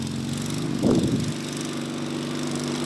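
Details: Racing Panzer small engine after carburetor cleaning and fuel pump install: runs steady and even with a brief throttle blip, pulling cleanly without stumble or misfire; now running good.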